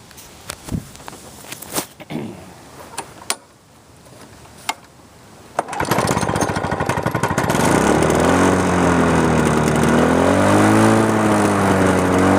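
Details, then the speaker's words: 2001 Lawn-Boy DuraForce two-stroke mower after carb rebuild and fuel system cleaning: a few cord pulls, then catches and settles into a steady buzzing run; sounds in decent shape. "this is how a machine should run typically if it's in relatively okay shape"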